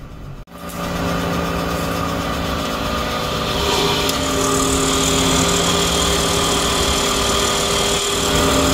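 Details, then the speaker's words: Pickup truck at idle with the air conditioning switched on: a steady whirring tone holds constant over the idle from a noisy AC compressor, louder outside than in the cabin; owner fixes it with WD-40 on the compressor. "esto ha prendido el aire dentro del compresor y ahí se alcanza a escuchar el ruido kim bien aquí adentro pero afuera es aún más fuerte sonido mi raza"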